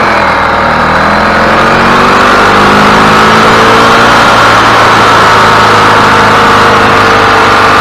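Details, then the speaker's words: 2003 EZGO TXT gas golf cart after fixing the starter that clicked but wouldn't run: fires right up and runs at an even, steady pace with no misses or knocks. "all right looks good to me guys sounds good running good firing right up"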